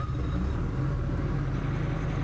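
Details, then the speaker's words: 2020 Bobcat skid steer with rail pressure control fault code E000157-21, after priming fuel system and fixing air in lines: even diesel rumble at constant speed, no stumbling, knocking or hunting; running properly after repair. "taada and we got her started so there you go guys I was able to get it done"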